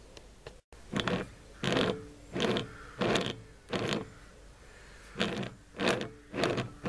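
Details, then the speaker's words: Faulty 12V wind turbine generator, blades removed, hand-turned with mic close: gritty creaking grind in bursts about every 0.7 s; rear bearing feels collapsed, possibly damaging the generator. "those bearings are oh yeah it feels like the back bearing has collapsed that could have destroyed the generator"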